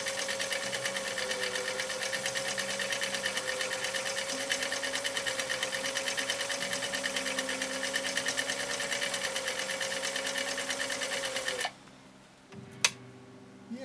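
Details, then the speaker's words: 1955 Husqvarna Viking Type 21 Class 20 sewing machine (1.5 amp), restored, sewing decorative stitch 4 off cam A: fast even ticking about three stitches a second over smooth steady whirr; said to have done a brilliant job; normal running. "it did a little bit better that time i think it heard me say the word fire it did a brilliant job on that stitch"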